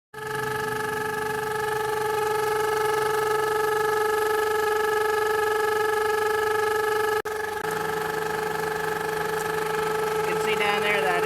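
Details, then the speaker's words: 2003 Honda Civic idling with a steady high whistling chirp from a pinched intake vacuum hose; replacing the hose with clamps stopped the chirping. "vacuum line is pinched that's where the chirping is coming from probably needs to probably needs a new hose"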